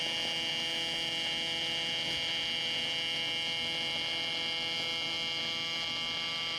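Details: Miller Dynasty 300DX AC TIG welding aluminum during a beginner's practice with filler rod: an even, high-pitched electrical buzz holding constant without sputtering or popping; a normal, stable AC arc.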